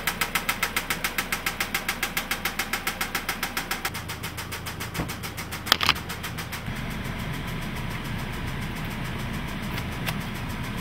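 Sharp, regular ticking through the start and into idle, about three or four per second; some internal knock, cause uncertain.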